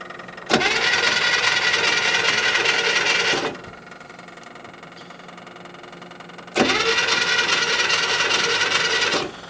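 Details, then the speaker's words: 1972 International Harvester 1110 pickup, off the road since 2013, fuel pumping: two bursts of steady starter cranking, about three seconds each, and it never catches. No spark; the distributor points look crusty and are to be cleaned. "it's going to be a negative on spark okay well no Sparky spark so I think we'll pop the cap off and distributor cap and clean the points up"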